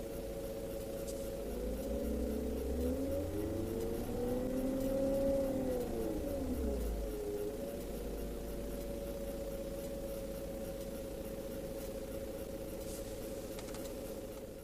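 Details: BMW E38 AC compressor whine rising and falling with rpm, gone with AC off, bearing fine; caused by lack of oil, fix is evacuating, vacuuming 15 min, adding 10 g oil, recharging 700 g.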